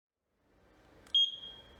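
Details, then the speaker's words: VLF metal detector on a 9V battery, after repair: sensitivity preset adjusted, new LED fitted and buzzer reconnected. The continuous beep has stopped; one sharp beep that tails off shows metal detection is working normally. "आप देख सकते हैं कि लगातार beep की आवाज़ बंद हो गई है और मेटल डिटेक्टर अब काम कर रहा है।"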